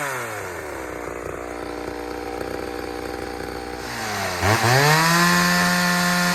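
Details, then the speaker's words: Third chainsaw test, running on leftover old fuel without refuelling: even idle buzz, then clean revs to a high, smooth pitch. The saw runs fine, unlike the two freshly fueled saws before it. "all right so saw number three is running just fine except for you know i hit a rock with the chain so we ain't gonna cut nothing"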